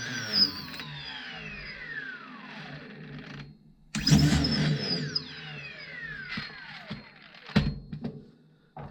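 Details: Prometheus blaster with Sunny Sky 2216 2600 kV brushless motors and aluminum flywheels, flywheel bolts not yet tightened: flywheels whir up to a high falling whine, then sharp bursts as darts pass; motors spin cleanly and evenly, normal spin-up.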